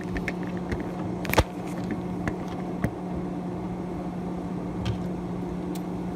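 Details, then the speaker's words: Hotpoint/GE refrigerator whose freezer evaporator fan had stopped spinning (not cooling): the newly fitted fan gives a steady low hum and airy rush and moves air normally. Afterward the fan looked off-centre, possibly near the metal. "Oh yeah, that is moving some air, buddy."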